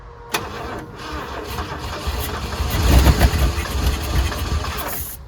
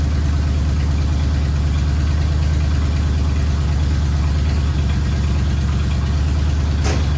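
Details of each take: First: 1979 Ford F100 302 V8 sitting ten years, brake cleaner sprayed into carburetor: starter cranks, engine catches and fires roughly a couple of seconds, then dies; suspected fuel starvation, auxiliary tank next. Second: 1979 Ford F100 V8, sat ten years, idling after cleaned carburetor installed: deep, steady burble about three pulses a second, holding even without stumbling; normal idle.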